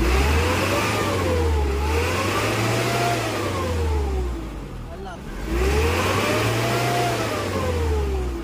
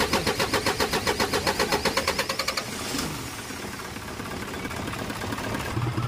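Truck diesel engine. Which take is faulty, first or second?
second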